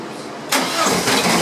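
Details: 1983 VW Rabbit GTI with 288 race cams, first key-on start after ECU wiring and software work; starter catches and engine fires at once into a steady, even idle with no knocks or misses. Normal start.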